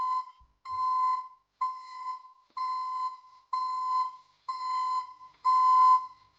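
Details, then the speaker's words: ECCO 530 backup alarm newly installed on a Silverado pickup: loud, clean high-pitched beep about once a second with even on-off pulses; reversing alarm working properly. "from what you just heard um the uh recording doesn't do it justice I mean it sounds like a commercial um backup alarm like you'd hear on a"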